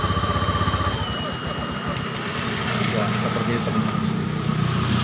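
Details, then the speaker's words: Honda Beat scooter cold start: idle air control valve supplies extra air when cold, so rpm rises then eases down; fires up at raised busy idle easing back to steady normal idle, healthy cold fast idle. "jadi ketika mesin disetor pertama maka RPM akan naik Kemudian beberapa saat dia akan turun ya seperti ini temen-temen Oh ya rpm nya naik kemudian dia turun Ya"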